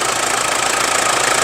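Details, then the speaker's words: 2000 Mitsubishi Strada 2.8 GLX diesel pickup at idle, oil freshly changed: even, steady clatter with unchanging rhythm, quiet and smooth, no knocks or misses, no leaks claimed; healthy. "ฟังเสียงเครื่องยนต์อีกรอบนะครับเครื่องเงียบนะครับเครื่องนิ่มเครื่องเงียบแห้งๆนะครับไม่มีเยิมไม่มีซิมนะครับ"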